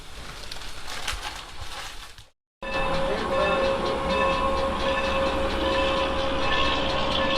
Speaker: the creaking and hissing that you'll hear under our cars is the sound of the train crew performing a brake test